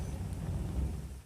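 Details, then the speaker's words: 2003 Dodge Durango 4.7 V8 after replacing the PCM: the engine briefly catches on cranking, then dies within about a second. Owner suspects the replacement PCM is faulty; his original module did not cut off. "it cuts back off. So I don't know if this is a faulty one. Probably, most likely it is."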